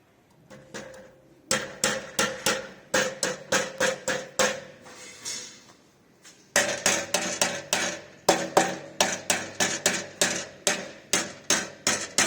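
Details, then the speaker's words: Porsche Boxster 986, engine off: soft-hammer taps on the rusted exhaust with missing heat shields and a crack leaking exhaust give a tinny, buzzy rattle; broken catalytic converter internals suspected, not confirmed. "It's starting to leak from the exhaust. So I'll tap it so you can hear what the rattle."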